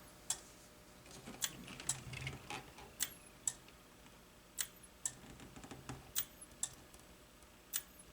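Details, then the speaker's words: Makvision 3129 27/29-inch NOS arcade monitor, dead out of box: sharp relay clicks in pairs about every second over faint electrical hum, relay chattering after a bad solder joint as it tries to energize the HOT. "oh it's ticking listen there's a relay there's a relay clicking now"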